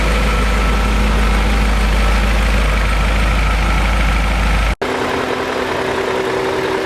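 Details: BMW E39 M5 V8 after rebuild and cleanup, cold start recorded on the camera's built-in microphone: steady, even low rumble settling into a clean, smooth cold idle with no knocks or ticks; healthy.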